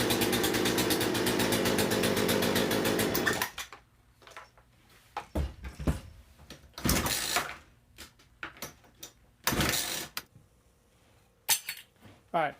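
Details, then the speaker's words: Poulan P3314 gas chainsaw fitted with a cheap China replacement carburetor in place of the original: a rough, uneven two-stroke buzz for about three seconds, then it dies to scattered knocks; poor running from the badly tuned aftermarket carb. "I was able to get that one on and get the sort running but they ran like crap and you can tell it just wasn't tuned as good as it could be"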